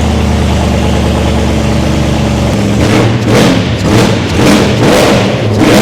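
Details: First start of a race-car V8 after fuel pressure and leak checks: even steady idle, several quick throttle blips returning cleanly each time, no limp mode; runs healthy.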